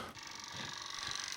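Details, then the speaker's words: Adjustable bed massage motor (bed frame from 2005), failing unit before replacement: harsh rapid mechanical rattle with hissy edge instead of smooth hum, vibrating badly; the other motor not vibrating at all. "This one is vibrating all the hecking back and not doing all that great."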